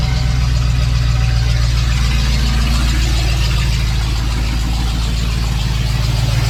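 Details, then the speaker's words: 1993 Ford F-150 with swapped 351 Windsor V8 after reassembly: steady low even idle rumble, no knock or miss, good oil pressure; starts better than the day before, running normally. "Better than it did yesterday. I love the oil pressure it's making."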